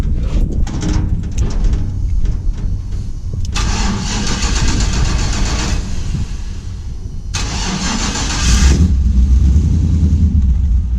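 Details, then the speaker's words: 1949 International KB2 with an LS engine on an E38 ECU with a basic tune, 6L90E transmission, Hypertech fuel cell holding fuel over a year old, started with starting spray. Cranks, catches and runs unevenly with surging revs, then stalls. Old fuel suspected. "what's that sound it's stalling yeah your fuel cell"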